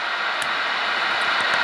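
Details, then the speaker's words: Kenwood TM-451 UHF radio, volume up, squelch at zero: only a steady rushing hiss with no tone or voice; the PLL is not locking because a broken PCB trace cuts the VCO supply. "so I have only set here my volume up a little bit, and yeah, let me put squelch to 0, so that we can hear the static."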